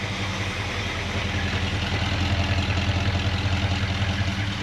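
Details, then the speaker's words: 1963 Jaguar Mk10 with swapped Mopar 440, first start after sitting since 1972, no cooling system yet: regular light knock about 150 a minute over exhaust burble at idle; owner suspects slight rod knock, possibly lifter noise from sitting. "I think the only thing that's a little concerning, it sure does sound like it's got just a little bit of connecting rod noise, maybe some rod knock in there."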